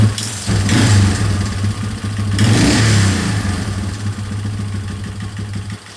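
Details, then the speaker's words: 2003 Yamaha Wolverine quad after fuel leak work, tank temporarily off with an inline fuel filter added: small single revs up and settles back without stumbling or popping; carburetor fuels properly, engine runs healthy. "It's pretty good, so guess let's start getting back together again."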